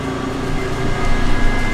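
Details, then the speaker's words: Duramax diesel (K20 diesel swap) electric lift pump priming fuel system: steady pump hum with faint high whine; priming normally. "Get the pump fired up. Let's get some real priming going on here."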